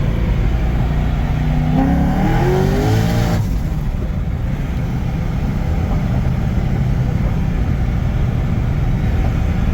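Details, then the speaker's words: Engine with the new manual belt tensioner, after about five pulls to 7,000 rpm, where the belt used to walk off the water pump pulley: sharp rising roar into a hard steady run, no belt squeal or chirp; belt holding. "okay I mean she's still holding all right I think uh I think we're good"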